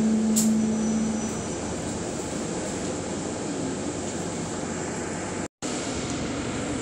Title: 'Loud humming when stopping'- SLN 36688 on LB route 181(2)